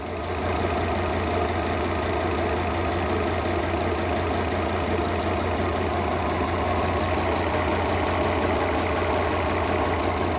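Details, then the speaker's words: Volvo XC90 T5 at idle with the coils refitted after a compression test: a lumpy idle with dropped pulses, unburnt fuel smell, and one cylinder still not firing. "Smell fuel, unburnt fuel. Okay, so we've got one cylinder that's not firing still."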